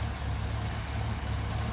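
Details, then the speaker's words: 1983 Dodge B100 van, Slant Six bored .030 over: steady, even low idle with a smooth regular beat, no knocks or misses; a healthy, nice-running engine. "it's so simplistic it is so pure it is so I mean it's a nice sounding nice running engine"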